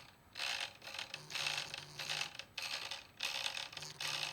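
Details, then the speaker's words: Datsun 280Z distributor turned by hand gives a dry, rough ratcheting rasp in bursts, something rubbing inside; owner suspects the contactor, which has been backed all the way off. "It doesn't sound right to me at all. Makes different sounds, like that's minimal."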